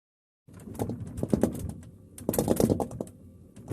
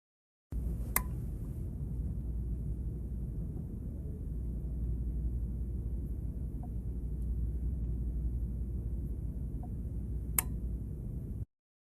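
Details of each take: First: LG refrigerator running while the unit is moved: irregular bursts of light tapping and knocking from the jostled compressor, an abnormal noise but nothing to worry about. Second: the next is a clicking noise depending on the age of your refrigerator our boards use relays and they click as something happens or in some of the older units they had a defrost timer that would click in the defrost and click out of defrost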